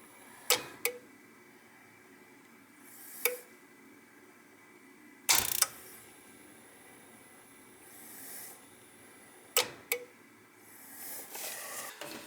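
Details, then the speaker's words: Roughly 20-year-old gas boiler, no heat: sharp isolated clicks every few seconds, boiler never lighting; suspected smart valve or relay box clicking, needs testing to confirm. "No, it sounds like it might be the smart valve that's clicking."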